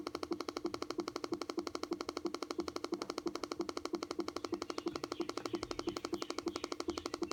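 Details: 2013 MacBook Air in a quiet room making sharp, evenly spaced clicks, roughly three per second. A repetitive internal clicking noise of unknown cause.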